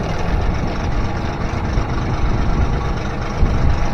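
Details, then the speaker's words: Honda BF25A 25HP four-stroke three-cylinder outboard after fuel system overhaul, idle mixture set; steady even low idle with no misses or stumbles, idle possibly set slightly high; normal idle. "Sounds pretty good. Put it in for 4 for a second. I think I got that eye up too high."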